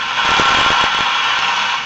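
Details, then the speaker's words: Franklin C101 radio on AM after a broken resistor and capacitor were replaced (an earlier speaker hum, heard on FM, seems gone): an even hiss of plain static with no low drone. Normal AM static, no hum. "as a normal static but no no hum"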